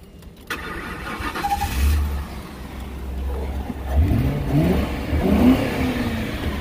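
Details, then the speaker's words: 2007 Ford Crown Victoria Police Interceptor V8, 84,000 miles, sat for some time, radiator burst: cranks and catches quickly, a couple of blips then a smooth, even rumble with no knocks or misses; normal start and idle. "you can see how good it sounds"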